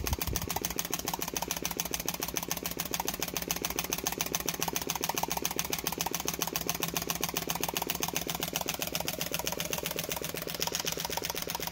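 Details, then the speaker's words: Flame licker model engine "Nick", with taper-bored flywheels: quick even popping at about 3.5 beats per second from the ball valve; steady, regular, running properly. "hi welcome back this is my flame licker nick so you can hear the popping from that valve the ball valve"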